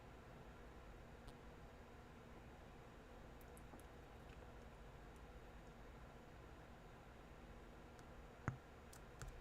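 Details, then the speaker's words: Apple HomePod on power cycling: quiet hiss, then one sharp deep thump from the woofer; estimated 600-700 mV DC offset reaching the woofer. "yeah that's a pretty nasty pop so I'm gonna guess you know based on how loud that is that popping um it's probably got like 600 700 millivolts of DC offset which is very very bad"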